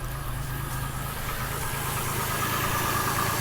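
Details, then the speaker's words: 2001 Chevy Lumina started after sitting a long time: rough, shaky idle with a loose knocking pulse about three per second just after start-up. The engine is shaking but fires right up and is expected to smooth out; cause not confirmed. "oh she's shaking a bit she's shaking a bit that's okay give her a minute to get going she has been sitting a long time"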